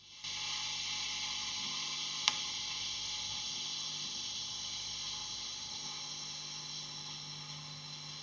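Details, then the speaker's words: 100-watt tube guitar amp, channel with volume on 10 and mid full up; only faint even hiss with soft low hum, noise floor very quiet for a 100 W amp — normal low hiss noise floor. "Yeah, that's that entire channel on 10. And the noise floor is very quiet for a 100 watt amp. This is very good."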